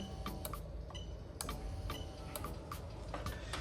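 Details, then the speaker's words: SC430 3UZ-FE VVT-i harness in a 2002-2005 Lexus IS300 automatic, fuel pump relay active test, camera moved close: sharp crisp clicks at uneven intervals over a quiet low rumble; ECU controlling the fuel pump correctly. "Fantastic. So as you can see, the ECU is controlling the fuel pump. Super happy with that."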